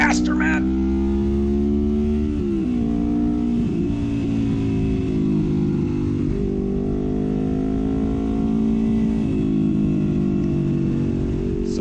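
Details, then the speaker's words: 1973 Honda CL350 with aftermarket exhaust, after secondary jets went from 105 to 120 plus a new intake boot, timing, valve and points adjustment: the twin pulls cleanly to full power with an even climbing note, past its earlier 6-7000 rpm stall point. "there we go we're gonna get all the way up to full power it's pretty sweet oh yeah a little faster"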